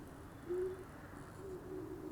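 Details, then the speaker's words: Halloween yard-haunt ground breaker animatronic prop at night; a drawn-out, mid-pitch moaning squeak comes in uneven bursts as the prop moves, so something in the mechanism is squeaky or binding, cause unconfirmed. "And then I'm getting like this free moan. I don't know if you can hear this. Yeah, something squeaky in my ground breaker."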